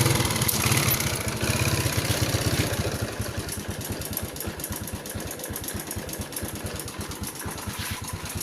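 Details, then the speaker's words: Yamaha Spark 110 small engine idling with an uneven metallic rattle, valves already adjusted; the timing chain or its tensioner is suspected. On teardown the chain, worn and previously joined, looked likely to be the cause. Timing chain noise. "เพื่อนๆว่าเสียงนี้เสียงของตัวดันโซ่ราวลิ้นหรือว่าโซ่ราวิ้นนะครับทุกท่านนะไม่ใช่เสียงวาล์วนะเพราะว่าเราทำการตั้งวาล์วไปแล้วนะครับ"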